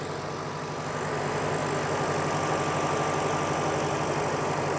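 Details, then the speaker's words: 2007 Ford Mustang GT convertible, 4.6-liter V8, low mileage, dealer maintained, idling under the open hood: smooth, quiet, even idle with a soft burble, belts and pulleys whisper quiet, no ticks, knocks or squeal. Normal idle. "You can hear it idling very happily and quietly. The belts and pulleys are all whisper quiet."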